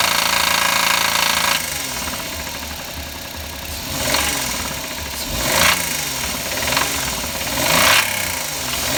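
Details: Knocking engine blipped repeatedly after adding Motor Up oil additive: harsh rapping that swells with each rev; additive did not fix it, owner suspects bearing (metal) failure, not confirmed.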